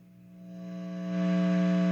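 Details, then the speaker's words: Coolmusic 50 W guitar combo amp, gain channel, volume at three quarters and gain at half, nothing played: low steady buzzing hum swells quickly and holds loud. "Wow, listen to that hum."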